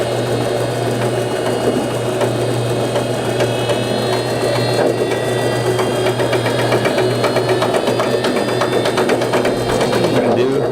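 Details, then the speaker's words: Whirlpool Duet front-load washer spinning: loud steady roar like an airplane taking off, low hum and constant rattling clatter from a worn inner drum rear bearing, which is being replaced. "What it does, it sounds like an airplane trying to take off."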